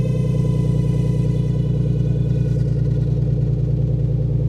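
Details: Cold start of 2002 Dodge Intrepid SE, 2.7 engine, unstarted about two weeks in cold weather; steady, even, smooth idle with no knocks, ticks or misses, engine healthy though transmission failed at 82,000 miles and car won't move.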